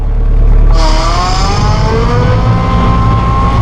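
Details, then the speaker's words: Massey Ferguson hydrostatic tractor with auto throttle, back-dragging gravel with the loader under down pressure. The engine note rises quickly and holds a steady higher pitch as load comes on, then revs drop when slowing; normal auto throttle response. "can hear that autothrottle kick in and go to work as we backtrack to fluff the gravel up here when I slow down you can see that it had reduced the engine RPMs"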